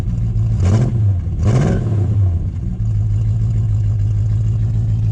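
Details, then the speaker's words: Rebuilt 250 Crossflow engine from the XD, said to be rebuilt stock about 7 years ago with roughly 6,000 km since, run on stale fuel: two quick clean throttle blips, then steady even idle, no knocks or misses; compression 160 even, healthy. "Sounds awesome. Sounds pretty good for it."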